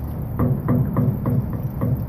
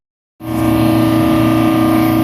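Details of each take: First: Old RTU13 rooftop unit with low motor hum and a steady thump about three times a second from a bad internal motor bearing. No grease fitting was ever installed, the belt is glazed and cracking, and the motor will fail soon. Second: Rooftop HVAC unit 13 on a mall roof, compressors running with the mall interior at 70 degrees: constant smooth drone with a few steady tones, no knocking or rattling; running normally.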